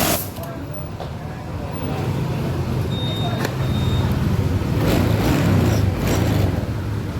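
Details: Honda Vario 150 scooter that was hard to start or wouldn't run: engine catches and settles into a steady, quick putter building slightly in volume; normal start after aftermarket socket wires were cleaned and correctly repositioned.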